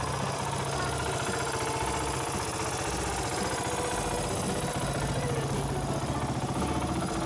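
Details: Suzuki DR350S first start after engine rebuild: uneven but lively single-cylinder thump at idle, steady and free of knocks or rattles. Running normally.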